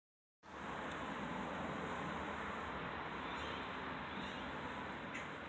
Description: This is what it sounds like with no brake pads.